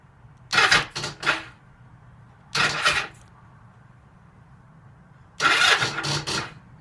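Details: 2009 Ninja 500R that won't start: three short, sluggish bursts of starter whirring with long gaps and no catch; lights dim while cranking, and the owner suspects a bad battery.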